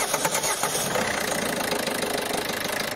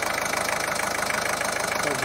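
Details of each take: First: Ford 1.5 TDCi diesel after a timing belt jump and repair of broken rockers, bent valves and camshaft damage, first start: fires rough and uneven, missing beats for seconds, then dies, with air trapped in the fuel system. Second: Ford 1.5 TDCi diesel after repair of a jumped timing belt (broken rocker arms, bent valves, damaged camshaft), first start while still adapting: an even, steady idle with light regular clatter and no knocks, running smoothly.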